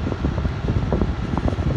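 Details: LG window AC unit running with compressor on and blowing cold: even low airy rumble with a steady hum and no rattle, tick or scrape; the fan runs smoothly.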